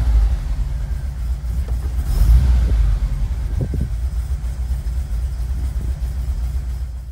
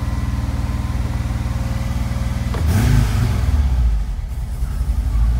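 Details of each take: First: 1986-1991 VW Vanagon, Digifant injection, previously high/varying idle, now hooked up: even low rumble, steady idle, no hunting or surging; normal idle. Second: 1986–91 VW Vanagon Digifant: idle even for a few seconds then surges up and stays high, sometimes varying; faulty idle control module behind right rear taillight.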